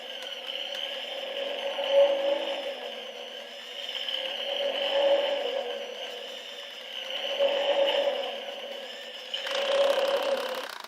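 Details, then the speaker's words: 1:3 scale Franzis Porsche 550 Carrera racing engine model, turned hard by hand: rapid clicking that swells and fades with each push, rotation stiff and heavy; clicking with a binding spot, cause unclear. "oh yeah you can hear it sort of clicking I'm having to really push it"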